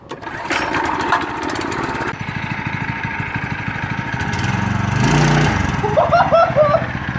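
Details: Yerf Dog/Murray go-kart with Predator 212cc 6.5 hp engine, max torque clutch: small single fires up, putters, then revs smoothly and pulls cleanly without stumbling; runs healthy.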